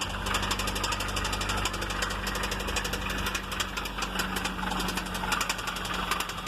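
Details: 1993 Honda Civic with VTEC idling: loud, steady metallic knock repeating several times a second.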